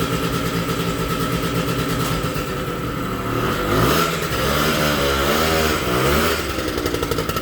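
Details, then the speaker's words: Aermacchi Z90 single-cylinder with head gasket leak and about 40 psi compression: uneven firing with loose clatter as revs rise and sag; weak, low-compression running. "it's right around 40 psi somewhere in there um so i decided to try and start it up anyways and see what happened this is what"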